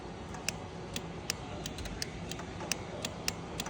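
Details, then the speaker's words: Toro Wheel Horse mower, engine off: crisp, irregular ticks as the safety relay clicks in when the brake pedal is pressed, so the interlocks test fine. Engine runs only while the key is held; owner suspects the ignition switch. "But everything's testing fine because it will not start. Even if you push the brake pedal, you hear the relay click."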